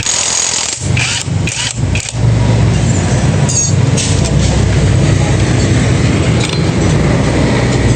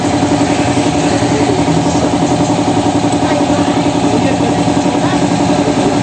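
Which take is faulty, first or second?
first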